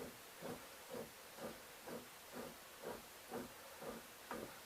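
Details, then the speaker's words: Gravely Deluxe snow blower gearbox, freshly reassembled, turned by hand on the bench: about two dry, raspy swishes a second. It sounds like dry tapered roller bearings but seems all right. Cause unconfirmed. "i mean it sounds like some really dry roller bearings like you guys like tapered roller bearings but uh seems all right"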